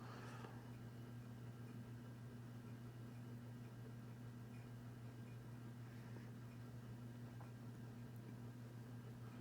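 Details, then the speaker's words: Aloha Breeze 52-inch white ceiling fan from Walmart on low speed: soft steady low hum with no grinding, ticking or buzzing; fan motor runs quiet and smooth. "it's definitely interesting that this fan being a cheap cream from Walmart is actually pretty quiet too"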